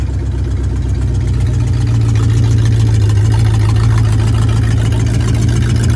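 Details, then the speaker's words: 1968 Torino V8 first drive after 20 years sitting in a barn: steady, fast idle with even low rumble, no misses or leaks; idling a little high, owner plans carburetor adjustment. "It wasn't anything spectacular, but she runs and drives. Sounds like it's idling a little high. I need to adjust the carburetor."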